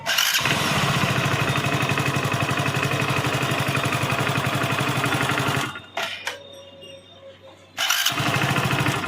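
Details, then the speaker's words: Motorcycle with starter (self) noise on start and stop, after greasing the starter and its brass bush and refitting with spring; engine fires and runs evenly, shuts off, restarts cleanly with no starter grinding or clatter; normal engine start. "अब चलते हैं, जब bike को start करते हैं। ये देखिए इसका साउंड ख़त्म।"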